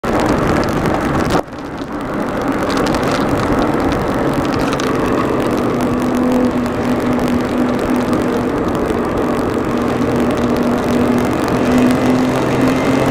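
Running engine with an uneven, stumbling beat and irregular gaps in the firing rhythm; sounds like a misfire, cause unknown.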